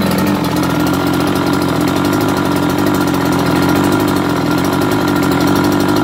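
Even, buzzy two-stroke idle holding a constant pitch with no surging, misfires or rattles; this engine is running fine.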